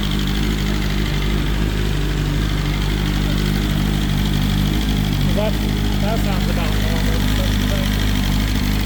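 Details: BMW S1000RR first start after the oil plug came out and oil went everywhere: steady, even idle with smooth low drone, no knocking or rattles; bike sounds great, engine healthy.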